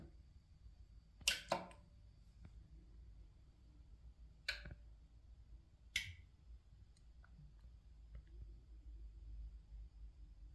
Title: BRZHIFI GOLDMUND TELOS 300 POWER AMP HUM NOISE